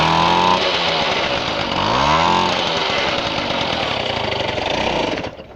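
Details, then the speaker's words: Garelli moped (possibly Brianza) with apparent Laura M48/M56 engine, drill-started: raspy, spitting two-stroke buzz revving up and down then dying, ragged crackle from exhaust leaking in all directions; clutch not engaging, needs clutch parts. "so you can still see the exhaust leaks coming out from all directions and also the simple fielding flush doesn't seem to be engaging"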